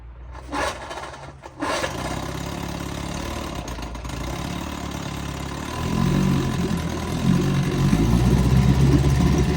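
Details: 1974 Evinrude 6 hp Fisherman outboard, not run since Labor Day weekend, started in a test barrel; two quick pulls, then a steady, clean, low putt-putt about four beats a second: a great runner.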